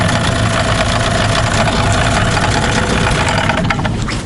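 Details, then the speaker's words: Tohatsu M15 outboard at low idle: dull irregular tapping about three per second, gone when throttle is added slightly; low-rev knock, piston pin suspected but unconfirmed, no cylinder scoring seen by borescope. "так вот тут будет на малых идет характерный сучок такой неприятный дрожь по спине да да вот чуть газу добавляешь он пропадает"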